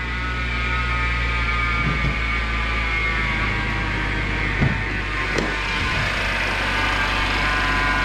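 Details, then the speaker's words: BMW X5 engine idling hot with a constant, pretty bad high whine laid over it, coming from the driver's-side idler pulley on the serpentine belt drive; pulley and belt are being replaced. "You can hear that whining noise. It's pretty bad. You should not hear that."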